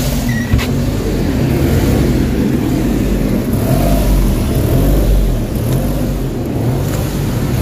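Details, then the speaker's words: Suzuki DA17 petrol engine warmed a few minutes at idle, steady drone sagging and swelling every few seconds; RPM hunting high and low with no fault code, cause not yet found. "Okay so nakita niyo yung sistema ng engine talagang taas baba yung RPM So ibig sabihin may problema yung makina"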